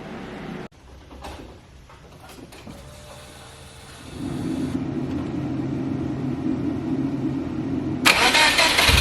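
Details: Subaru STi engine freshly installed, only run a couple of times, not fully warmed, coolant not yet bled: short crank, then it catches into a steady, slightly high cold idle before a quick blip; normal cold start and idle.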